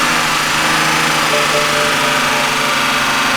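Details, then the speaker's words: 2008 BMW X5 3.0si, N52 engine, sitting two years, first start after starter replacement: steady idle with light fast top-end ticking; owner attributes tapping to oil supply not yet established, otherwise runs good. "that's a win fellas that's a win and it runs good actually of course you hear the tapping noise but i mean come on the car's been sitting for two years oil supply is not there everything"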